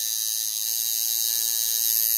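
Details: Tattoo machine being tuned by ear: high, rapid thin buzzing, running too fast because the contact screw is set too far in; backing it out slightly improves the sound.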